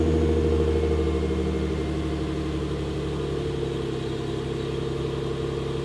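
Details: New, stock 2018 Nissan Frontier Pro 4X stock exhaust tone, before a Flowmaster 40-series-clone muffler swap. Smooth, even low rumble that settles without misses or rattles. Normal.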